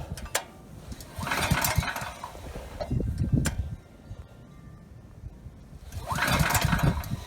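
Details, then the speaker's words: Ryobi RY905500 5500 W generator, new recoil rope, choke on: repeated pulls spin the engine without catching; it ran on starting fluid, so it is fuel starvation, main jet probably clogged in carburetor. "okay good so it's just not getting fuel so the main jet probably is clogged"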